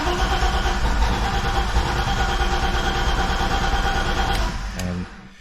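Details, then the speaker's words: BMW E30 with fuel pump disabled to relieve line pressure before a fuel filter replacement: steady starter cranking at roughly three beats a second that never catches, then stops; crank-no-start with fuel cut off. "so now after you disable the fuel pump you want to go ahead and crank the car over for a little bit it's not gonna start if it does it won't run for very long"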